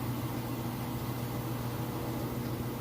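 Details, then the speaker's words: GE washer, inspected, heavy load, final spin: steady even low hum over soft drain rush, no thumping or rubbing; spinning fast, quiet, balanced and healthy. "spinning nice and fast, and as you can hear, it's nice and quiet. The drain is running."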